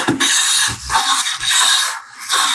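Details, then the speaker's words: Restored vintage Stanley No. 5 hand plane with the blade set very fine after being set too deep: light, airy swishes with each pass and short quiet gaps, a crisp even cut from thin shavings; correctly set. "See that sound, buddy? Mm-hmm. That's the sound that we're going for. Yeah. That little sound and how light that sound is tells us these are real thin on our chips."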